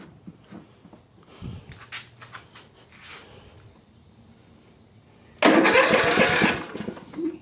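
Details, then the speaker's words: Craftsman LT1000 riding mower engine, cold start on choke after letting fuel run down into the carburetor; scattered clicks and quiet sputters, then a loud rough catch around five seconds settling lower, a normal choke start. "kind of fuel on choke it give a little bit for that gas to run down into the carburetor make sure it's got gas"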